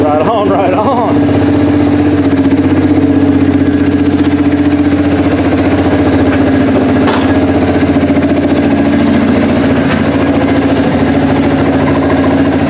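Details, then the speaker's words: 1988 Yamaha Moto 4 ATV rescued from a field, just revived: single-cylinder idles steadily with an even, slightly lumpy beat after a quick blip; a little smoky but sounds healthy. "see if we can't get it out of the shop so we don't get gased out here that sounds pretty good yeah she is a little smoky"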